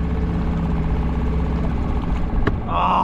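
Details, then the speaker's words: Small sailboat outboard that had not run for nearly six months, after the starting problem and a minor gearbox issue were fixed: it settles into a steady, even idle with a smooth low burble and no misses or knocks. It sounds healthy. "i can't believe that's working that engine that engine hasn't run for nearly six months it was dead it wouldn't start"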